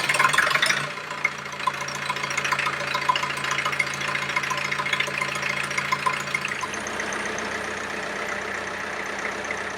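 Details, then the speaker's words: International B276 tractor diesel after annual service, fuel system bleed and tappet clearance reset, running without exhaust silencer: loud raw open-exhaust clatter settling to an even idle; previous tappet noise gone. "well as you can hear it's certainly sounding a lot better no we're not getting that tepid noise that we were getting before so that's fantastic news"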